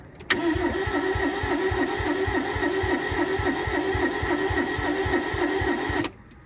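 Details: Barn-find Toyota AE82 Corolla 4AGE, injectors plugged in and fuel priming: steady starter whirr with even compression pulses about three and a half a second for nearly six seconds, no firing at all; cranks but won't start.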